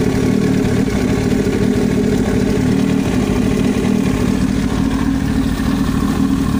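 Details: Yamaha YZF-R1 at steady idle: fast, dense metallic tapping over the exhaust note, an abnormal knocking noise in the engine head.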